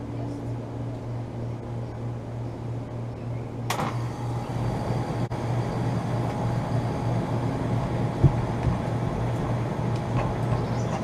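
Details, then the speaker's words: 2012 Bryant Legacy air conditioner outdoor unit restarted after spring cleaning: steady electrical hum, then the fan starts and runs evenly; sounds much better, with more airflow, though it rattles more and the compressor is more audible. "that thing sounds much better that sounds much better than it did before"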